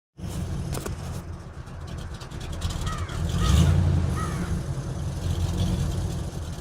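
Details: 1983 Oldsmobile idling with a low, uneven, lumpy beat of about four pulses a second; rough idle.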